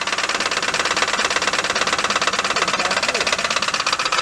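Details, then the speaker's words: Wrecked Chevrolet Impala, jump-started: sharp, fast ticking of about three taps a second rides on top of the idle. An engine tap at idle. "this car actually runs but has a tap on a motor something"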